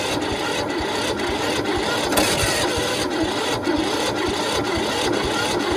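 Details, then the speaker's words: Toro Z4200 TimeCutter 54-inch zero turn mower, flooded in Hurricane Irma, parked about 2 years, cranked via screwdriver across bad solenoid with choke on: even rhythmic cranking, about two compression pulses per second, no firing; no start. "There you have it. Just turning over. So now get the thing ready, the choke on. Right. All right. That's not looking promising."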